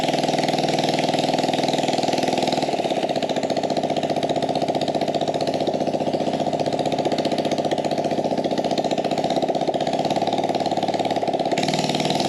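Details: Small single-cylinder carbureted engine on a gas Power Wheel build, no air filter or muffler: ragged open exhaust note with a wavering beat, rough running; owner suspects it is lean.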